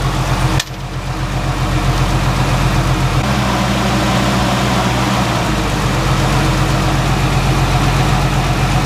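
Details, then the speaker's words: 1990 Jeep Cherokee started right after power steering pump replacement and refilling fluid, run to circulate the fluid; catches at once and settles into a steady, even, smooth low idle with no knocks or whine; normal idle. "We're going to start it up and let it run a little bit to circulate the fluid through it."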